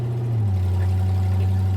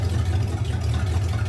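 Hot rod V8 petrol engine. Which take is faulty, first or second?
first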